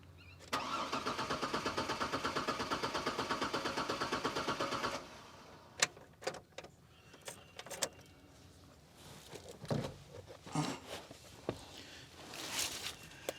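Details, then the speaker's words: Chevrolet Trailblazer that sat five years: fuel pump possibly heard at key-on, then the starter cranks evenly about four seconds without catching. Owner suspects no fuel to the rail or no spark. "all right so it's not running so either it's not getting fuel to the fuel rail or it's not getting spark so let's let's check it out"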